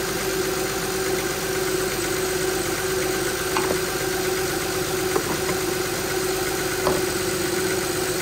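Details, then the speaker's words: 2006 Honda Pilot 3.5L V6 after power steering pump replacement and bleeding lock to lock: steady, even idle with a soft hum and no whine or groan from the pump. The fluid was checked with no bubbles. "do that a couple times and then that should be it you can hear it's quiet [Music] everything working good"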